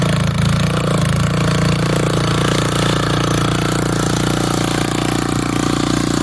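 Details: Old auction-bought Montgomery Ward tiller tilling dirt: the small single keeps a steady, even chug, holding speed without missing or sputtering. Pulling fine under load.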